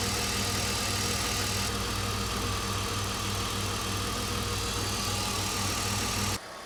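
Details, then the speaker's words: BMW E46 330i M54B30 at idle after the worn water pump was replaced and the failing DISA valve caught: a fairly smooth, even idle with no loud rattle from the front of the engine. Healthy, if not perfect. "okay so this is what the engine sounds like now a lot better I wouldn't say it's perfect but the big rattle coming from the water pump that one is actually gone and the rattle from the diesel valve is entirely gone as well so success"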